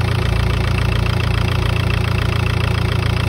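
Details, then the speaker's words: Idle of a prepped TDI diesel at 300,000 km right after re-timing the slipped timing belt (tensioner pulley was dead): deep, even idle, regular firing pulses about three or four a second, no knock or clatter; timing sounds right. "Il n'y a pas un bruit, tu vois, ça claque pas, il n'y a pas un bruit. Pas un bruit."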